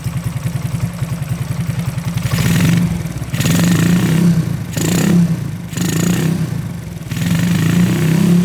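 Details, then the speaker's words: Honda Karisma-based motorcycle (C800 body), bored up to 148 cc with 56 mm piston and custom cam: even single-cylinder idle, then clean throttle blips rising and falling smoothly with no ticking or clatter; healthy engine. "nah ini untuk mesin halus ya teman-teman ya untuk mesin halus enggak ada suara ngelentek atau suara apa-apaim"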